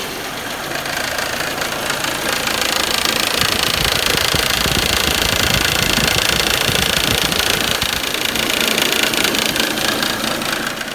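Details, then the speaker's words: Audi/VW 1.8T idling: fast, regular rattle about four per second as a fairly new serpentine belt tensioner shakes excessively because the old belt has stretched; fix is a new belt. Belt tensioner rattle. "there's not very much tension being held on that belt that the tensioner is trying to hold it's rattling around a lot and making a lot of noise"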